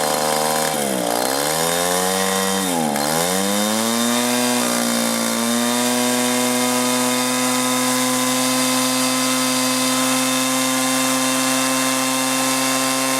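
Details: 1983 Echo PB400E two-cycle blower, warmed up and throttled up after a new fuel line and fuel filter, exhaust-port decarbonizing and air filter cleaning: a couple of blips drop the pitch and recover, then a steady, clean full-throttle whine with no surging; normal high-speed running.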